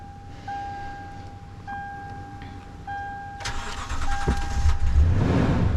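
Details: 2011 Toyota Tundra 4.6L V8 after a battery was installed backwards, with the main fuse replaced and the blown 10A ETCS fuse swapped for a 30A spare: dash chimes, a brief crank, then it catches and settles into a steady, even idle.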